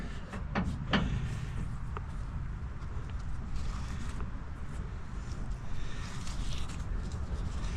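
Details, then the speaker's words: Ford F-150 8.8 rear axle after thrust washer replacement and refill with 75W-140 full synthetic, fixing vibration: only low even road rumble with a few loose clunks, no whine or howl; rear differential sounds good and quiet. "Sounds good. Sounds quiet."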